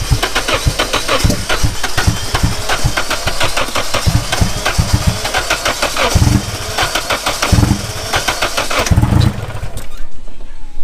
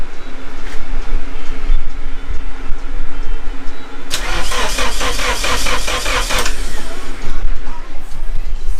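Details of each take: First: Rebuilt Nissan KA24DET engine, first official start-up after fixing the spark, fuel primed beforehand, owner worried it might flood: rapid even cranking ticks, then it catches and settles into a rough but running idle. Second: Rebuilt Nissan KA24DET engine, cranks but won't start: the starter spins in an even rhythm for a couple of seconds but it never catches. A spark test on the cylinder one plug wire shows still no spark; the distributor and coil connectors have been tested.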